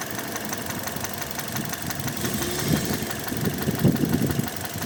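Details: 2006 Mazda 6 GG 2.0 idling: deep hollow knock bursting through the running noise; cylinder 1 rod bearings spun from oil starvation (stuck oil rings, 300–500 g oil/day); fix is rod bearing replacement.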